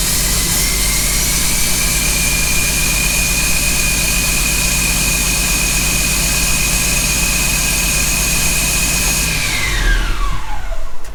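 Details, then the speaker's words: John Deere 6170M diesel running after engine rebuild, DPF not yet refitted: loud, even roar with a steady whine, no knocking or banging, no stop-engine light, pitch falls away at shutdown; sounds healthy. "Okay, no knocking or banging. Whew. No stop engine light come on."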